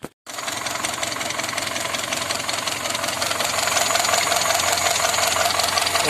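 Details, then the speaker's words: ZAZ Tavria, cold engine running with valve cover off: even running with light, quick valve clatter and no heavy knock; valvetrain healthy, while a remaining knock traced to an adjusting stud rising too high is still to be fixed. "Ну, порядок, машина холодная. Никаких стуков нет."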